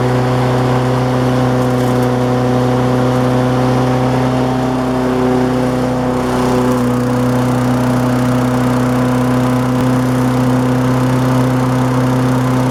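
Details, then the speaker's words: Lawnmower converted to propane, second start a week later, gas left in so running dual fuel; smooth, even drone with steady hum and no misses. "I came out here to fire it up for the second time been a week or so ago since I made that last video and uh anyway turned on the gas and fired it up like this"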